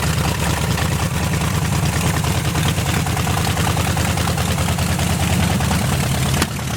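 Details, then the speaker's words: 1973 GMC square-body truck, small-block Chevy reportedly 350, parked since 2001, first revival start: deep, even V8 burble at steady idle with no ticking, knocking or misses; good oil pressure; normal idle. "sounds pretty healthy yeah I'm going to fill the float bowl and just make sure it wasn't a fluke"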